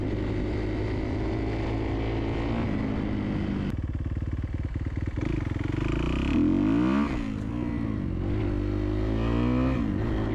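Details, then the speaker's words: 2011 Kawasaki KX250F single-cylinder, idling and blipping with strong power and a light quick tick from valves shimmed on the high side. Slight valve tap, but it runs well. "a she seems to run pretty good yeah this thing's got a ton of power for a 250 I'm I'm actually really impressed with it"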